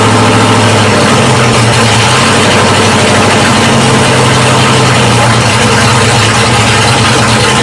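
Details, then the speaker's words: 1979 Ford F-series dentside truck V8 with newly installed Holley carburetor, floats and choke adjusted: steady, even idle with smooth low rumble, no misses or stumbles; runs much better than before. "this sound a lot better H it was sound a lot better"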